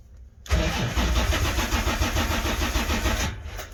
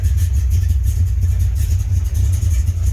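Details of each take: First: 1980 Corvette C3, first start attempt after two years sitting: the starter grinds over steadily at about three turns a second with no catch and no fuel pump hum. The engine cranks but won't fire; pumps not running is suspected. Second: 1980 Corvette C3 first start in 2 years, after heater core change and battery charge, run a few minutes: deep, steady V8 burble at idle, even beat, no misses or knocks; normal idle.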